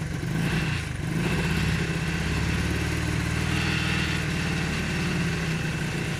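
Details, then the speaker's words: Honda CT90 Trail 90 first start after many years in storage, turning over freely with timing marks checked; small single thumps along at a smooth, steady idle with no stumbles or knocks, running fine. "so let's roll this thing out and see if we can get it to run under its own steam oh it's a runner it's a runner holy"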